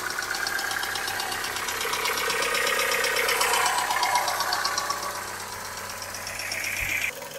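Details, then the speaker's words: 21-year-old engine, cold idle after a light overnight frost: sharp, regular metallic tapping about four per second, steady and evenly spaced; internal engine knock, also present warm; engine needs repair. "Хороший стук всегда сам вылезет, да? На 21-летнем двигателе уже и пора бы. Вот. Лезет."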